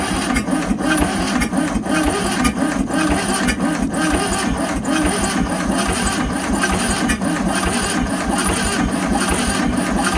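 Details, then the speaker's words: 1971 Volkswagen Super Beetle, sat over 20 years, solid-state ignition, rotor cleaned, fuel poured in carb: starter churns with uneven lazy beat and weak catches, no start; possible low compression, spark plugs found dirty. "Okay, wait a minute. Don't want to burn all the wiring up. It tried a couple of times."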